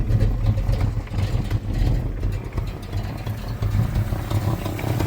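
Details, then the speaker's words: 1986 Fox Body Mustang 302 five-speed, sitting 15+ years, in neutral with intake off: lumpy, uneven idle surging and dipping with a puffing chuff; owner suspects exhaust leak, sticky injectors, missing intake or wrong firing order. "little bit of exhaust leak and it may have a couple injectors that might need to come around unless it's cammed, but I don't think it is."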